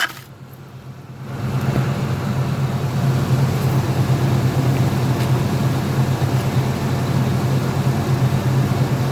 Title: 2002 escalade awd popping sound